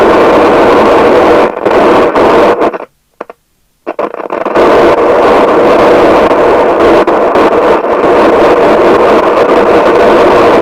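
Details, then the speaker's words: 1981 Nato 40FM UK FM CB radio, Cybernet PTBM002F chassis, loud popping audio even on PA: loud constant hiss with irregular pops and crackles dropping out and returning; ultimately the faulty LA4422 audio amplifier IC, after six electrolytics replaced. "i don't know what we're gonna do there that is very very noisy"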